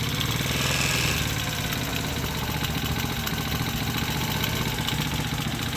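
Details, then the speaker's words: Small single-cylinder mini ATV engine at idle with a rapid, uneven tapping through the exhaust beat; owner suspects a little rod knock from the lower motor and plans to raise the idle; engine knock at idle. "but i think i need to idler up just a little bit let's see if i can do that real quick but i don't i think she's got a little rod knock but whatever"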